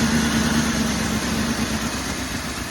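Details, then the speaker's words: 2002 Northstar with a new battery, codes P0300 random misfire and P0121 throttle position sensor, running poorly at start-up: an uneven, lumpy idle with a wavering drone and stumbles; rough idle. "And come out here and started it up. And she didn't act very happy. Wasn't running good at all."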